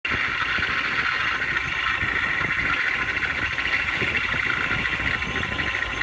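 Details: BMW M73 engine idling steadily with a loud, constant hissing whir riding high over it. The noise comes and goes every few minutes as if a pump were starting and stopping. Cause unknown.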